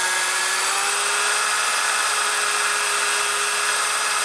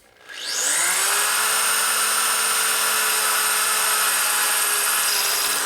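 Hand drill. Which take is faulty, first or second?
second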